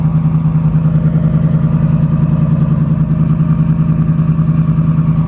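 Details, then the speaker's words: 1960 Pontiac barn-find V8, 10.5:1 compression, premium fuel, idling with a deep, steady, even rumble; runs beautifully, no oil use; slight lifter noise on fast idle when warming up. "I haven't worried about it. It runs beautiful. It does require premium gas because of the 10.5 to 1 compression ratio."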